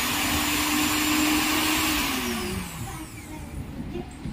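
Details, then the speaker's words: Mixer grinder motor after fitting both new carbon brushes (old ones worn out, motor was sparking): strong steady high whine, winding down smoothly when switched off, no sparking crackle; normal motor run. "चल रहा है बढ़िया चल रहा है और काम कर रहा है कोई दिक्कत नहीं है कार्बन खीस गया था पूरा ज्यादा च कर दिया ठीक हो गया"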